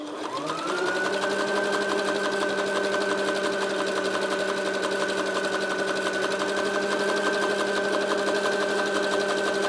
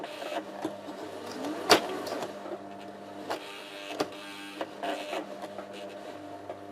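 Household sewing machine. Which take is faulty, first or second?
second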